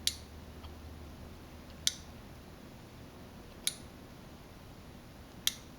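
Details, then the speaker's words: Aerosol detector main PCB on a test rig during the relay-drive test step: sharp single relay clicks about every 1.8 seconds over a quiet room hum. The relays switch normally. "Now we are testing the ability of the board to drive relays. You can hear the relays clicking in the background."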